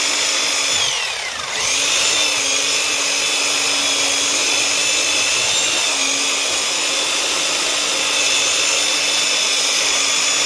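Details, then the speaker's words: Old Black and Decker U-144 belt sander after repairing damaged gears that caused loud grinding, running with a homemade cut-down belt: steady high-pitched motor and belt whir with no grinding; it is running properly. "let's put this dude through the ringer give him a test drive no more grinding noise"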